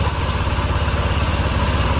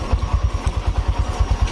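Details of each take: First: Honda Vario Techno 125 (old model), after adjusting the idle screw by hand: a steady, even low putter at a constant rate with no stumble or hunting; the engine is idling properly. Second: Honda Vario Techno 125 (old model): low, even thumping at about nine beats a second with a rough, clattery edge over the idle. The engine is noisier than it should be.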